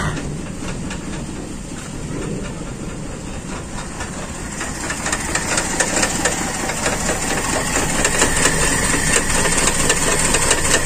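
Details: Carburetted Toyota Kijang, shaking and hard to run at low throttle, needing half-clutch in traffic: uneven lumpy idle with recurring stumble about twice a second; misfire traced to vacuum hose leak.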